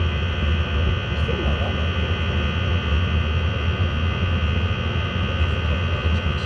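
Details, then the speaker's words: Chinese diesel heater after an attempt to quieten its jet-engine-like noise, which failed: a steady deep rumbling roar with a low throb. The noise comes from the exhaust, not the heater body. "well the actual nose is coming from the exhaust not from heater [Music] no it is coming from here definitely yeah it's definitely better than it"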